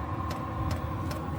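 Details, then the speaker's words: Chinese 12 V diesel heater running on kerosene, temporary outside install on a caravan, just fired after priming: soft steady combustion rumble from the exhaust with a light tick about every 0.4 s, drawing air in; normal combustion. "And now it's going like the clappers. And you can hear it drawing air in through there."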